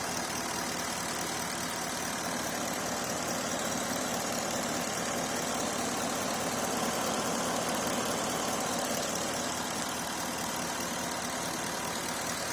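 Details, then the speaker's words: Porsche Cayenne after fuel pump and water pump replacement and temporary broken breather pipe repair: steady, even idle with smooth hum, no whine or knocking from the front; runs much smoother than before, healthy. "the car is running now much smoother than before water pump is done as well there's no more noise coming from"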